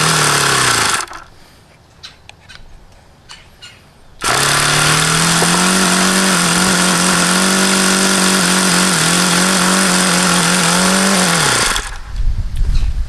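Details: HP VT 21 rotary-valve four-stroke model engine, bought used and run about 25 times, just started: holds a steady high buzz for several seconds and never settles. Idle stuck high, never below roughly 4500 rpm however lean the low-speed needle is set.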